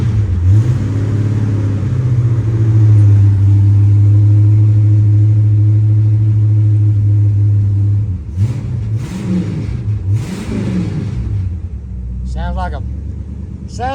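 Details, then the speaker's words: 1970 Pontiac LeMans (GTO front) V8 parked 30 years, running after warming up: deep, strong rumble holding steady revs then easing off; runs cleanly without misses or knocks. "this is a GTO sounds pretty good don't it"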